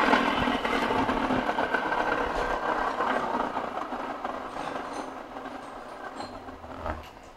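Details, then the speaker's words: Worn Nissan X-Trail CVT gearbox bearing spun by hand: a rough, gritty whirring that fades as it coasts down; this whining hum reached the cabin while driving. "jadi bunyi berdesing inilah yang akan keluar DPD dalam menghebohkan dan sampai kita seni bilik itu memandu kriteria transfer kita tak selesai sebab bunyi berdengung tuh sampai ke dalam kabin"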